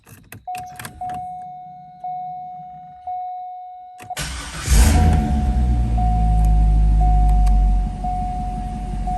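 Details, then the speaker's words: 2004 C5 Corvette LS1 V8 that had a slight idle stumble, after fitting MSD 55088 coil-on-plug coils and the 88867 power harness: chime, cranks and fires in about four seconds, flares, then settles to a steady idle. Slightly smoother, with no check-engine light. "idle SCS pretty steady no check engine light so that's good it feels a tad bit smoother but nothing to cry home about"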